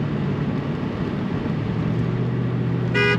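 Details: 1996 Ford Mustang GT convertible, driving with top down, engine warming to quarter temperature: steady road and engine hum, then a clear, strong horn toot near the end; horn works normally.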